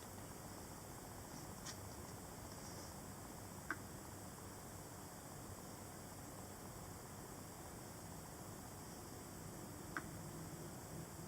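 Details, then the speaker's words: MacBook 12-inch 2017, after a screen replacement: three or four isolated sharp ticks in a quiet room as something loose shifts inside when tilted or the lid is opened; the noise is worsening. "Okay, the sound of this MacBook 12-inch getting louder when you open the lid."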